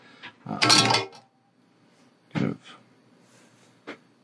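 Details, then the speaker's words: Short bursts of sharp sizzling crackle as rosin flux boils off a solder joint, with the iron at the upper temperature limit; any hotter would vaporize the rosin before the connection is made. "any higher temperature than this and we risk vaporizing the rosin before we've made our connection which defeats the purpose of having Roloson inside the core"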